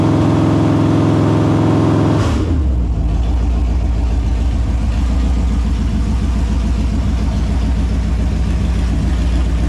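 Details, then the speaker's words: Holden 253 V8 on a bench test stand after rebuild (new bearings, honed bores, rings, Yella Terra heads, timing chain, gaskets), on petrol: catches after a short crank and settles into a deep, even idle burble, no knocks, misses or leaks; normal idle. "so there you have it she's uh all sounds good goes good doesn't look like it's leaking anything"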